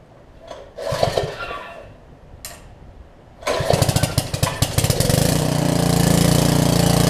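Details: Karcher pressure washer with a 6.5 hp Briggs engine that had sat a while, fitted with a new carb and run briefly without water. A couple of pulls, then it catches and settles into a steady, even run with no surging or sputter. Normal idle.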